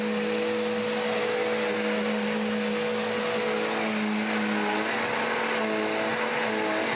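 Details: Dirt Devil DD6114 upright vacuum, an Electrolux Contour clone, long stored in a shed, before restoration, after clearing a clog: steady motor whine at constant pitch, belt less grumbly than before, no surging. Normal running.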